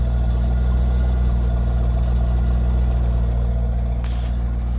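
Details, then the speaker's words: 2000 Chevrolet Corvette C5, sat parked in a garage for many years and non-running, now first started after running the fuel pump to clear suspected air: steady, even low idle rumble with no misses, knocks or ticks; slightly rough at first but cleared up. "yeah she sounds pretty good uh the c5 the c5 is running there it is uh all right so the c5 is running i call that a good day's worth of work a little little tough starting it a little rough on the idle but it seems to have cleared up"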